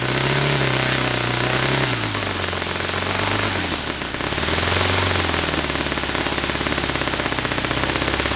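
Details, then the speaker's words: Saito FA-300T twin glow model engine on a customer run with onboard glow on and a sticky, tight throttle linkage: fast, crisp, even firing that dips and smoothly picks back up through throttle changes; running well. "And I'll cap this off and run this fuel out of this engine. And that'll be our run. Running well."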